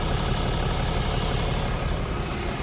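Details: Diesel truck idling while warming up after the bottom radiator hose was refitted and coolant refilled. Coolant level dropped slightly, showing it is circulating. Deep, even rumble with no misses or added knocks; settled and healthy.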